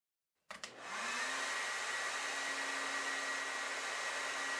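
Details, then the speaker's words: Known-good hair dryer plugged into a Whirlpool 29in gas dryer's wall outlet to check power: switch clicks then quick spin-up to steady whir with airflow hiss; runs normally, so outlet power is fine and the fault is in the dryer. "if the hair dryer works okay the problem is in the dryer if the hair dryer doesn't work the problem could be on the fuse or circuit breaker box or in the wall outlet"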